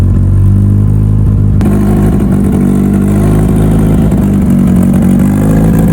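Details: Mitsubishi Evo before dyno prep, cold engine, first start of the day after installing both fuel pumps as the fix; fires and settles into smooth steady low drone with a little revving, no clatter. Normal running.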